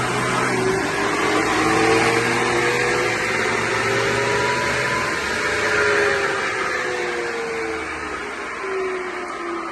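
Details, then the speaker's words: BMW X1 E84 20i xDrive, 2.0 petrol, wheels spun up on a lift: a loud droning hum rises and falls with wheel speed. The worn front differential was likely damaged by a seized front driveshaft U-joint; the differential was repaired, the driveshaft balanced and new U-joints fitted. "Я думаю всем было хорошо слышно что явно передний редуктор не в порядке"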